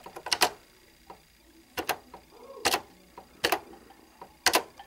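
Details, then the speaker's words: 1989 Brother ZX-30 plastic electronic typewriter whose small motor is suspected of overheating and stalling: sharp dry ticks in small clusters about once a second with no motor running; the mechanism clicks but does not respond, only cover-open and shift lock give life. "it does respond to the um cover open that when i close it and i hit shift lock or caps that's the only thing that gives some life this happens"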